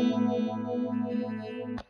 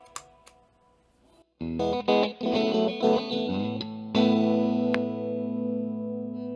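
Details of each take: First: MXR Phase 90 EVH pedal with a guitar: the earlier popping was caused by a low battery. Now on a power supply, a held chord swirls with a smooth, even phaser sweep, with no popping or dropouts. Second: MXR Phase 90 EVH phaser pedal under repair: distorted, swirling guitar chords broken by sharp pops, caused by a low battery; popping stopped once the pedal ran from a power supply.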